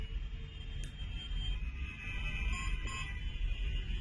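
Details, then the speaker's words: Smart home alarm host: after pressing the button three times, then press-and-hold for 3 seconds, two short high electronic beeps confirm the water leak detector was deleted from the host. "The sound that you just heard, the beeping sound, which just sounded twice, is an indication that the detector has been deleted."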